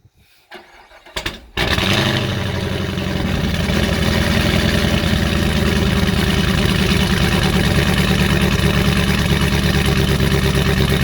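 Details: 2019 Camaro SS, 6.2 L direct-injection LT1 V8, with a stuck-open fuel injector, oil found overfull with fuel: brief crank, fires, then a lumpy uneven idle with a recurring stumble; misfire from stuck injector.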